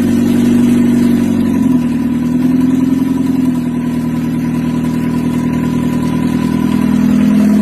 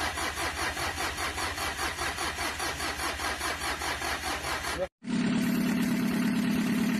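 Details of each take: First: Mitsubishi L300 diesel on its first start after an engine rebuild, wiring still untidy, during break-in; it revs and settles to a steady, smooth idle with no knocking, though an exhaust puffing is suspected from the air filter or exhaust: normal running. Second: Mitsubishi L300 diesel with heavy blow-by, as received and cold in the morning: long uneven cranking chugs about 2.5 per second that never catch. Compression is suspected very weak; the piston ring gap was found at 5 mm.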